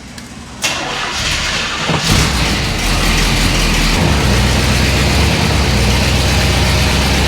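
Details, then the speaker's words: Square-body jump truck V8 cold-started on a very cold day: brief crank, catches and settles to a steady even idle, no knocks or misses; oil pressure great, charging, choke on then idles down; healthy start. "oil pressure is great we're charging don't know what's going to happen here yet but this is important that's somewhat important and then of course we don't want to overheat the choke came on it idled down a bit"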